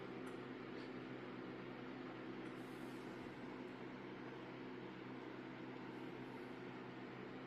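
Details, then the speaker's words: Apple iMac G3 Blueberry e-waste rescue reassembled and powered on with a USB keyboard: the CRT activates with a faint steady electrical hum, but there is no drive spin-up or seek activity and no smoke, pop or fizz; the computer does not boot. "so let's hit the power button I hear the CRT activate let's just see if things fire up well I'm not hearing anything else going on in there hit the button again"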